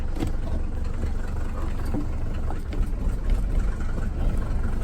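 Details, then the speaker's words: Mercedes 300D five-cylinder diesel, salvage auction car of unknown sitting time, first start after glow plug cycling: fires right up, steady low clatter settling into an even idle with no knocks or misses. "Wow look at that she fired right up first ride that's pretty cool"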